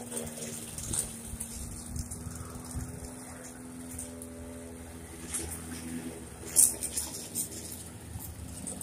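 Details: Briggs & Stratton 450e series mower that ran then died, after carburetor replacement: low even drone at steady pitch, no surging or dying out; engine runs smoothly.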